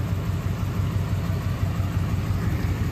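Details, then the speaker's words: 2002 Lincoln Navigator 4V 5.4 V8, freshly rebuilt and swapped into an F150, at first start-up idle: deep, uneven rumble pulsing about three times a second, running a little rough with no check engine light; throttle cable sticky. "running a little rough it's probably really mad about all I'm surprised there's no check engine light"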